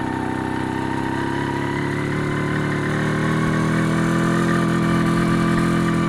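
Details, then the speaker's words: MZ ES 250/2 two-stroke with Bing 84 carburetor on factory jetting: uneven crackling, pounding undertone from self-ignition due to a dangerously lean mixture; advice is slow down and pull choke for cooling. "Do you hear that crackling, pounding sound? These are the self-ignitions due to too lean Mixture."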